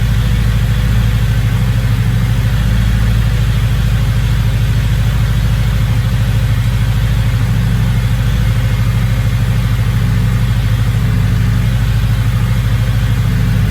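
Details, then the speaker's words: Engine with a big turbo, no longer idling funny, idle possibly slightly off due to the cams: deep, steady idle with even low rumble, no hunting or stumbling; no check engine light, good oil pressure, normal. "Big turbo though and a little engine in it, so yeah, but yeah, she's not idling funny now. Probably a little bit out due to the cams."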